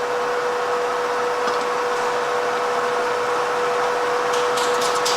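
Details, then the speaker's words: 17.5 mm slot drill spun in a mill at 13 mm depth while centring on a BSA motorcycle cylinder barrel bore before liner fitting: steady spindle whine, light quick ticks near the end as cutter touches bore wall. "you can hear that just touching now on the side wall."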